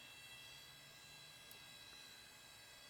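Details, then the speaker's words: Old junk PC booting Red Hat Linux 9: its hard drive spins with a thin steady high-pitched whine over a faint low hum; hard drive whine. "I don't really care so man that drive sounds like crap"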